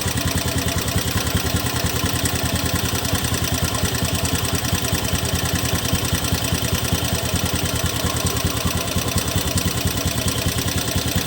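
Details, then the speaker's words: 2017 Honda Beat FI scooter idling after CVT cleaning: rough, uneven pulsing beat about 2.5 per second with a gritty, coarse edge, still rough after cleaning; source unknown. "Oke, ini sudah kita bersihkan ya kawan-kawan. Suaranya masih terdengar kasar."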